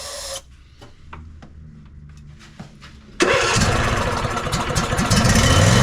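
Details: Ariens 20 hp riding mower, sat unknown time: weak sputters die away, then catches and roars only on starting fluid sprayed in intake; fuel starvation, suspected no fuel delivery or gummed carburetor.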